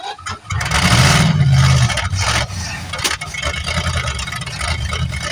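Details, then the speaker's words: 1973 Plymouth Fury III, off the road 7 years, started cold on bad old gas: a rough crank and catch, then lumpy, uneven running while still cold. Rough running on stale fuel. "But it ain't running too bad for having bad gas in it and, you know, being cold and all that."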